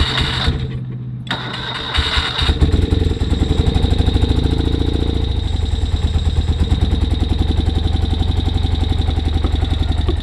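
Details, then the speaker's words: 1973 BMW R75/5 motorcycle, unrun since 2015, with non-original carburetors, on a cold electric start: it cranks about two seconds, then stumbles into an uneven beat. It misfires and is missing on one cylinder; the cause is not yet found. "Got a little bit of a misfire. Try taking the chokes off."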